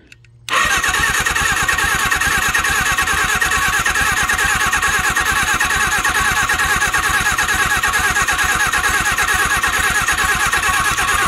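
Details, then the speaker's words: Suzuki GS750 freed from seizure after sitting since 1983, sticking valve suspected; starter spins it quickly and evenly about two turns a second with almost no compression and no firing, possibly no ignition (points being cleaned): cranks, won't start. "this thing has like no compression you guys hearing that just turn it over freely listen to this"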